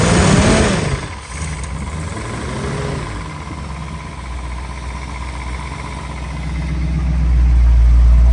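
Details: Jensen Interceptor-built Land Rover first run in 25 years after new starter motor, fuel and oil pressure fixes, gauge creeping up; catches and settles into a steady, even low idle with no knocks or ticks, healthy.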